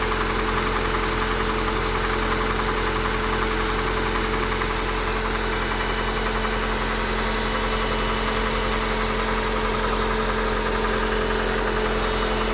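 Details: Honda Accord 8 engine at steady idle with a faint, irregular light tapping about twice a second. The knock is worse cold, lessens warm, and is still heard at 2000–3000 rpm. Valves adjusted 15,000 km ago, 5W-30 oil. Source unclear.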